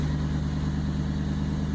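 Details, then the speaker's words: 1999 Toyota Land Cruiser 100 Series with rusted OEM muffler, before replacement with Bosal unit: loud steady low booming drone with heavy resonance at certain frequencies at idle, louder with door open; muffler rusted through. "And there are certain frequencies right there that sounds okay. But certain frequencies are just awful. Very loud, a lot of resonance, not how it's supposed to sound."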